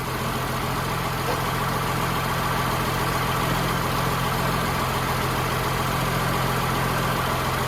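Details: Humvee with a swapped-in Cummins diesel idling in the garage, believed in park, smoking after start-up: a steady, even idle with a low rumble and no knocks or misses, sounding healthy.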